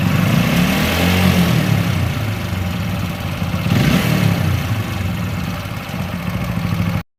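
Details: TVS Apache RTR 4V motorcycle engine revving up and down with an uneven clattering rattle over the exhaust note, about three or four knocks a second; abnormal engine noise, cause unclear.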